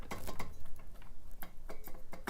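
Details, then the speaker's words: Bicycle rear cassette cogs loose on the hub give an irregular metallic rattle and clank when riding, with sloppy shifting. The fix is tightening the cassette with a cassette lockring tool. "the way to fix a loose cassette and stop that clanking and metallic noise is with the cassette lockering tool"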